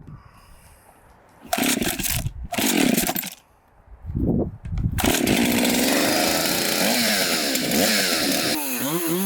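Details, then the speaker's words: Chainsaw after bench repair, apparently mildly ported, in test cuts: a strong, steady buzz under cutting load that revs cleanly between cuts; normal running. It may still need fine tuning, and the chain may be too aggressive or have damaged teeth. "i am so stoked right now this saw is probably the best running saw that i have"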